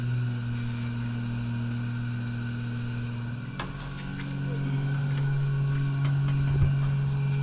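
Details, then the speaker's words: Pro street 1969 Camaro during carb rebuild and tuning, headers hot and timing suspected very retarded: steady low whir of the electric fuel pump for a few seconds; fuel pump running. "What's that noise, honey? The fuel pump."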